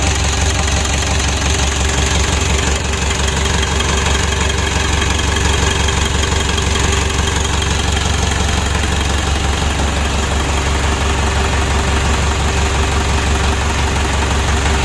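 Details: Freshly rebuilt 2012 Mitsubishi Pajero Sport Dakar diesel, first start after reassembly, running an even, steady idle with smooth low clatter and no knocks or misses; sounds healthy.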